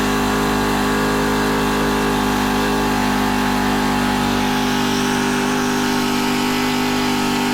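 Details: Honda FG110 with GX25 engine, previously ran only on half choke after owner fitted new carb; idle set high while tuning carb and warming up: loud, even drone at steady raised speed, no surging or bogging — normal fast idle.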